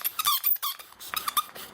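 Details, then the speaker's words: Bow drill fire-starting on a hot humid day: short shrill squeaks on each bow stroke as the spindle skates on a glazed hearth, glazed by grease from the bearing block and sweaty hands. "hear the squeaking it's because it's glazing because i i probably have a little not just grease from the brace end but my hands"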